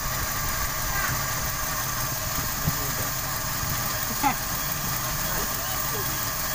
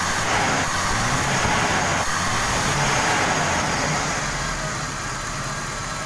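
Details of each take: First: 1995 Toyota Kijang 5K with abnormal, stalling idle, suspected faulty part plugged off with a bamboo plug: now an even, settled idle with steady low rumble and a couple of light clicks, slightly low power but no stumbling; normal idle. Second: 1995 Toyota Kijang 5K: lumpy, unsteady idle with an uneven beat near four per second, unchanged after new plugs, carburettor and valve adjustment; vacuum leak at the distributor advance line to intake acting like a dead plug.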